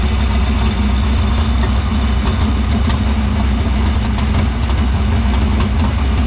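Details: Dirt Silver Crown race car idling in the shop after getting fuel through the filter and main lines to the pump and barrel valve; steady, even low rumble, no misses or knocks; fuel system checked out good.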